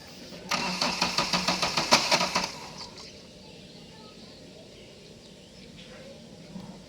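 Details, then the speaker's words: Bolero with check engine light blinking and fuel pump related codes: starter cranks about two seconds with even quick strokes, no firing; cranks but won't start. "গাড়ি আমরা যখন crank করছি গাড়ি start হচ্ছিল না।"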